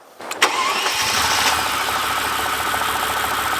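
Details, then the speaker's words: Twin-turbo V12 Mercedes CL65 AMG restarted at a gas station after a key cycle, strong smell: quick crank, steady idle with faint uneven shudder, not firing cleanly on every cylinder; misfire, still runs badly, cause not confirmed. "still runs really bad"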